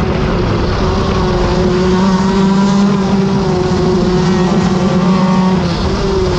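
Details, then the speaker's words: Shifter kart at NOLA Nationals after heat race one, GoPro audio: steady droning howl under the engine at even pitch; driver says it's the bearings howling, axle bearing howl. "I gotta fix the bearings it's my bearings I can hear it howling"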